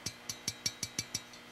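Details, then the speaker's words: 5Y3 rectifier tube from a silver-face Fender Champ 6V6 amp, darkened from internal arcing after a shorted, leaky filter cap overloaded it: bright glassy clicks, about six a second, as loose internal parts rattle. "so here is the 5y3 rectifier that was installed in the samp you can see how dark she is it's been arcing internally and you can hear this"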